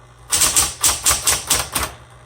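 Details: 1960s Smith Corona Coronet electric typewriter, repainted, color selector on black: seven crisp evenly spaced key strikes about four per second over a faint motor hum; types really well, just a little noisy.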